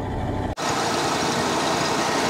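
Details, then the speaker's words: Dodge Ram 2500 V10, after replacing failed sensor, first start with motor mount not yet fitted: steady, even idle, smooth low rumble, no knocks or misses, slight exhaust leak; no-start fixed. "hell yeah that was our problem the whole time great she's parting like a kitten i love it when a plan comes together don't you"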